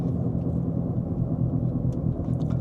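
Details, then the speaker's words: 2010 Infiniti G37x AWD on test drive, codes U0415/B2557: steady low droning rumble under road noise, a dull hum getting louder when steering right; worn left front wheel bearing. "so if I just turn the wheel a little bit right and left the sound continues to pick up as I steer right at this point I'm going to go ahead and say that we have a wheel bearing issue on the left front"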